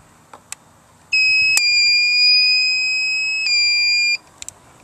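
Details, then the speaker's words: Harbor Freight 45 W solar kit, inverter hooked to 12 V marine/RV battery with its power switch already on: one steady high-pitched beep about three seconds on connection; inverter alarm beep. "okay that was the inverter making that noise yep"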